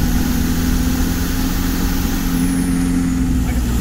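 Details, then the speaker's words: VW T3 camper TDI diesel: deep steady drone, full throttle in fifth gear, no misfire or knock; pulling cleanly. "pulling as well and fifth gear now speaking for before"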